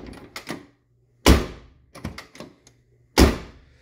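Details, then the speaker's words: 1979 Lincoln collector series door after replacing the striker bolt with a NAPA part: two solid shuts, each with light latch clicks and a clean single catch; latch engaging properly. "but those Napa ones are better than even the Dorman ones see this door's getting much better"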